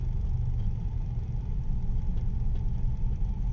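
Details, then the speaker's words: Mitsubishi New Cedia 4G18 with a three-month-old LPG system, switched to petrol: steady low rumble with an even, unbroken beat, revving cleanly with no stumbles or surges; normal running on petrol, unlike on gas. "สับเป็นน้ำมันนะดีเลยรอบดีเลยเนโอเครู้เรื่อง"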